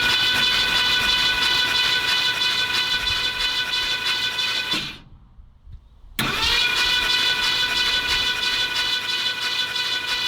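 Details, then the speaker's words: 1977 Ford F-250 Ranger XLT 460, sat 19 years after an engine fire, cranked without compression to pump up oil before a first start. An even starter whir spins freely with no clunks, though the battery may be wearing down: normal cranking. "Well, I don't hear anything clunking. Spins over nice and freely."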